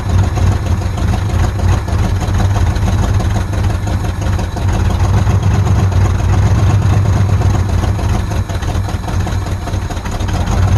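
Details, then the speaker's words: Abandoned 1948 Ford F5 bus, just started after sitting 25 years: loud, deep, steady idle rumble with a slightly uneven beat; carburetor rebuild and overhaul of everything planned. "Well, she's a runner. Of course, I'm going to go through and overhaul everything in here, ultimately rebuild the carburetor and pretty much overhaul everything."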